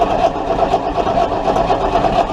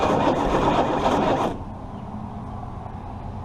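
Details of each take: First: Chrysler 318 engine cranked during a spark test, only a tiny spark seen once; starter grinds at a steady, even pace but it never fires or catches: cranking with no spark. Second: Chrysler 318 engine being revived: loud burst settling into steady even low rumble with no knocks or misses; seems to run normally.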